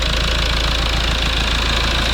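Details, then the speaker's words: Rebuilt Toyota Land Cruiser Prado 1KD-FTV diesel warming up after rebuild, coolant being bled: loud, steady, unchanging idle clatter with no stray knocks or misses; seems to run well. "Ça a l'air de bien fonctionner."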